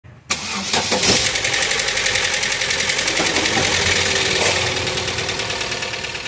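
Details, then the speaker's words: Car that has sat parked for a while, started and heard at the first start: the engine catches, then settles into a loud, busy ticking clatter at a couple of beats per second that eases slightly as it runs. Cause not yet stated. "quando ele deixava o carro parado por um tempo e dava partida ele apresentava todo esse barulhão Que Vocês conseguem ouvir"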